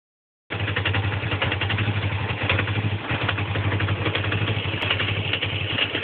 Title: Rough idle